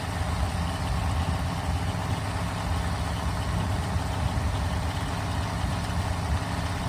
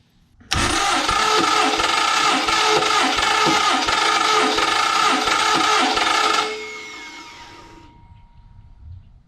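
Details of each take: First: Freshly built 1974 Mopar 400 big block (stock stroke and crank, free GM distributor) on a run stand, first real start and break-in: steady even low rumble at fast idle, no knocks or ticks; healthy. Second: 1974 Mopar 400 big block on engine stand, fuel and water pumps off, cranking compression test reading about 165–170: steady cranking, about three and a half beats a second under harsh gritty whir; owner says starter and flywheel sound rough.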